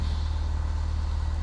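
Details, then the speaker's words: Cessna 172 piston engine just after start-up, 24-volt battery, brakes held, idling just under 1,000 rpm: steady, deep even drone with no misses or knocks, normal idle. "And start up. Run about 1,000 RPM. Just under."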